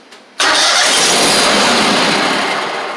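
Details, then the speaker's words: Gravely 260Z zero-turn mower with Kohler V-twin: after a fresh battery it catches abruptly, runs rough and busy for about 1 second, then dies as spark is cut; all safety switches intact; the DSAI/ignition module is blamed. "So, it runs for 1 second and then it kills the battery."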